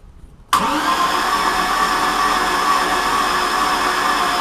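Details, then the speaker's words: Mercruiser Chevy-block marine engine during compression test (readings about 60–84 PSI), throttle open: starter spins smooth and even with no compression pulses, absolutely no load; cylinder suspected leaking all compression. "can hear there's absolutely no load on this thing insert expletive here"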